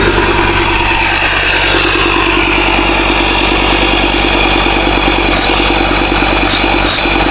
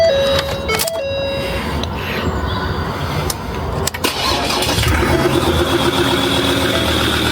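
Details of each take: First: Ford Ranger Wildtrak 3.2 diesel after replacing the failed turbo gasket, exhaust fully refitted: steady, even running at a constant note, no hiss or chuff from the exhaust side, sounds very smooth; normal idle. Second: Ford Ranger Wildtrak 3.2 diesel before repair, turbo gasket blown on one side after its bolts came loose: cranks, catches and idles with a faint high chirping squeak from below; turbo gasket leak squeak.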